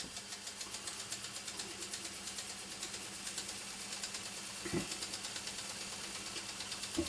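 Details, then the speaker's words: Sony TC-755 reel-to-reel tape recorder rewinding after the solenoid was found not catching: a steady high whirr of tape spooling with light, even flutter and no scraping or dragging, so the rewind is normal, though it still chatters now and again. "Yeah, that sounds all right."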